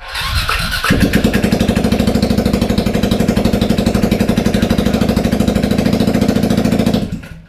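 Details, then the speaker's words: 2003 Suzuki Burgman 400 scooter revived from junk, clutch destroyed, started with the muffler removed: starter whirs, then the single fires up and runs with a loud, raw, sharp popping beat from the open exhaust; loud exhaust with muffler off. "We don't have the muffler on, so it's going to be a little loud, but we're going to show you that it actually runs."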